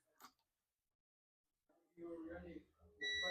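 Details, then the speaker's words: Dell Latitude E5250 logic board, no power and not charging: a steady high continuity beep on the second capacitor, reading 0.0–0.6, shows a dead short to ground; the capacitor is dead. "So you can see the reading 0.0, 0.6 shorted to ground. This capacitor is dead."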